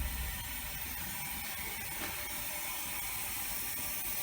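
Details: Air motor used as steam expander on a low-temperature, low-pressure waste-heat rig, around five bar: quiet, fast, even ticking with light whir, no knocks; running smoothly.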